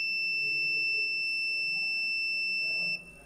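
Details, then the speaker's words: Logitech S-220 2.1 speaker amp board (bass output dead), continuity test on the large 3300 µF filter capacitor: steady high beep about three seconds, then cuts off as it charges; capacitor good. "kesti yani 3300 mikrofarat olmasına rağmen belirli bir süre sonra kesiyor"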